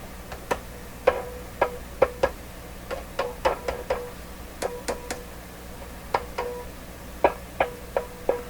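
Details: Westinghouse 981X shortwave tube receiver; each sharp tap on a 6K6 output tube gives a short ringing ping in the speaker, so that output tube is probably microphonic.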